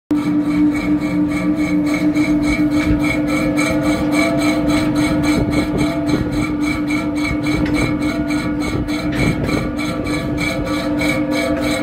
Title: Lagerschaden an einem Lüfter